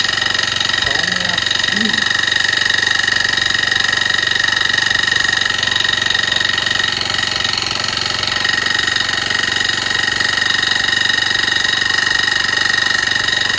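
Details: Honda cultivator (kanriki) that had seized, now turns over; valve tappet clearance reduced from 0.3 mm to 0.2 mm but the fine scraping "shari-shari" noise with thin whine is unchanged; owner suspects a piston or stuck piston rings.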